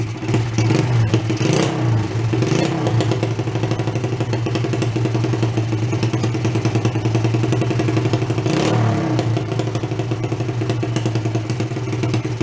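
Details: Chinese clone pit bike after clearing the carburetor so it holds fuel: small single-cylinder popping steadily with a few throttle blips, picking up cleanly and settling to an even idle.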